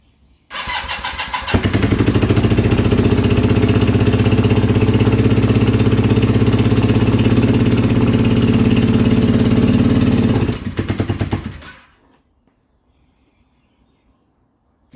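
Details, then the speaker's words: Kawasaki KZ440 project bike, running on choke after new plugs: it catches and holds a steady fast idle for several seconds, then fades and dies, which the owner says happened as he tilted it to one side. The fault is inconsistent. "So it was idling fine, choke was on, but as soon as I tilted it to one side, it died."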